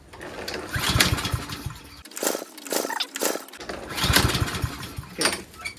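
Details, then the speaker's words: Troy-Bilt TB240 self-propelled mower with Honda engine, dusty air cleaner, choke flap stuck closed: ten pulls of repeated cord rattles and brief coughs, never catches; no-start, later runs on starting fluid, carburetor cleaned. "has 10 pulls without my shoulder being pulled out so it didn't start"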